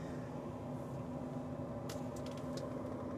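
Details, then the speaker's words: Old yellow farm truck that only clicks on start; cabin AC blower fan gives a steady airy whir with a faint constant hum, no rattle or scrape, running normally. "see does our fan work oh yeah we got AC"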